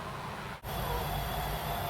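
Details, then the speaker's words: Amstrad CPC 464 cassette deck loading: data screech wavering in pitch, slow and variable, with a brief dropout; tape moving unevenly, suspected slipping idler wheel; tape speed wobble. "It doesn't sound healthy. It sounds like something's slipping somewhere. And I think it's the idler."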